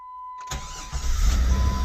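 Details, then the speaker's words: 1999 Jeep Grand Cherokee, unstarted over a year, crank-no-start fixed by replacing crank position sensor: short crank, then catches at once and settles into smooth, steady run; normal start. "hey that's weird it totally runs well uh too bad this jeep had to sit around for a year and and uh just for such a small easy component 35 bucks"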